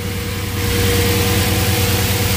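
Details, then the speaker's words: Audi S8 V8, first start after engine disassembly and manifold gasket reinstalled: starts first try and settles into a steady, even idle with a smooth low rumble, no knocks or stumbles; healthy. "ça va démarrer du premier coup nickeliss tourner tranquillement"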